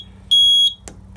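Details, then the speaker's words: RP1002 agent release fire panel: a single high, shrill beep of about a third of a second over a quiet hum; a trouble alert because a thin bell field wire broke out of its terminal. "I must have knocked the wire out or something. Yeah, I did. Okay, let me fix the real quickly. Wire actually broke out of there."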